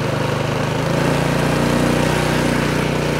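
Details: Craftsman snowblower just started on electric start with choke eased off, throttle pushed all the way; small single runs with quick, even firing pulses at full throttle, no misses or knocks; healthy, smooth running.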